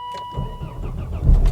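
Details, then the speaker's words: 300,000-mile Volvo XC70 diesel, freezing cold start after glow plugs cycled: brief crank with dash chime, then catches quickly and runs evenly; clean normal cold start. "Let's fire the old girl up then, shall we? Give the glow plugs a second."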